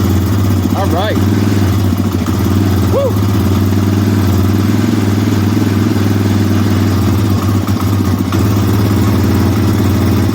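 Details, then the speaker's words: 2003 Yamaha Raptor 660R limited edition, single-cylinder, first start after sitting about five years, cold on choke in neutral: thumping idle with slightly wavering note; idle needs adjusting at the carb. "sounds like the idle needs to be adjusted to shut it off this thing"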